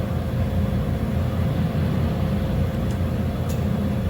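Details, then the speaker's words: 2010 Subaru Forester, key on, engine off: steady fan roar with no engine running. The ECM is cycling radiator fan relay 2 and the AC compressor because the "D Check" test connector under the right dash was left connected. The car has an intermittent crank-no-start and a flashing MIL. "the air conditioning compressor signal is going on and off radiator fan relay number two is also being switched on and on on and off that is not normal but the ECM is commanding it"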